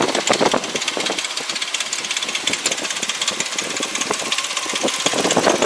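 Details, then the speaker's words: 2004 Mercury Mountaineer AWD at idle: a busy, tinny rattle on top of the engine. Suspected timing chain rattle; the mechanic believes the guide springs lost tension so the chain is slightly loose. "Alright, a little noisy. You can hear the timing chain. It's a little loud, but I talked to my mechanic."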